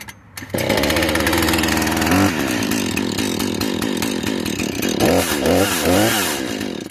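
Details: Husqvarna 435 two-stroke chainsaw just started after choke and priming, chain tightened: buzz rising and falling with throttle blips, clean even revving, no bogging or rattle; runs fine.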